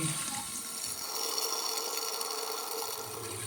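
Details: Toilet tank refilling after the broken fill valve was replaced: a steady hissing rush of water with no sputter or gurgle; the new fill valve refills normally and then stops.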